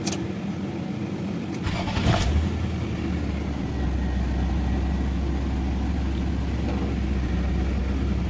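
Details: Nissan VQ25 V6 after no-crank, no-start troubleshooting and fix: the engine catches after a brief crank and settles into a steady low rumble with a short rev, running evenly. Normal start and idle.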